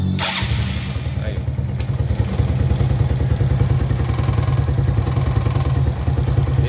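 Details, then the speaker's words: Honda Biz 125 after the hard-starting fault was fixed by fitting a new carburetor: it fires first try and settles into an even, steady idle with regular low thumps and no stumbles. Normal running. "Vamos dar partida aí. Pegando normal, pessoal. Na primeira."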